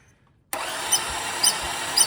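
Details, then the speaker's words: 2005 Lexus ES330 that quit while driving and only spins when cranked, with coolant present: thin starter whir with faint thumps, low compression on the first two cylinders. Jumped timing belt, blown head gasket or bad valve suspected, not confirmed. "has definitely low compression on these first two cylinders it'll drain down a little bit"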